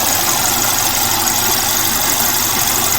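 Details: Mercedes-Benz E200 with P0420, knocking even on premium fuel, and thick, sludgy oil with additive. The coolant system had trapped air causing overflow. Loud, harsh, rattly idle with uneven clatter and hiss; the excessive engine noise has an unconfirmed cause.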